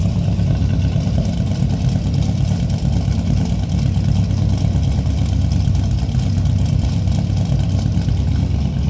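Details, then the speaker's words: 1970 Oldsmobile Cutlass W31 tribute, V8 with Sniper EFI, just fired up: deep, lumpy rumbling idle holding steady with no ticks or knocks; healthy-sounding engine. "This baby's got a rumble to it."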